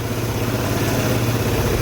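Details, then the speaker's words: 2008 Piaggio Fly 150 scooter after a crankshaft replacement (previously ran out of oil, rod bearing trashed), first start: steady even low putter at idle with no knocking, and the oil light goes off. "awesome I think we did it sweet starter seems like it's a little sticky but it retracts eventually awesome yeah oil light turns right off sounds good seems to run really good"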